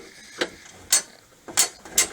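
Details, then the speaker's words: 1997 Coleman Sunridge Grand Touring pop-up camper, waist-level lift crank: sharp, unevenly spaced ratchet pawl clicks while cranking the roof up; roof won't stay up and drifts down, traced to the clutch brake slipping. "As I crank the roof up, you'll see the chain sprocket moving after the click."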